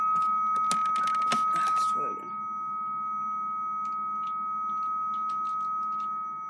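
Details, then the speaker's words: Two dial-up modems connected at 300 baud, heard after the speaker would normally cut off: brief clatter, then a steady pure high carrier tone holds unbroken for seconds, with the carrier taking the higher frequency; normal. "this is the sound that you would never hear this is after the speaker turns off by itself"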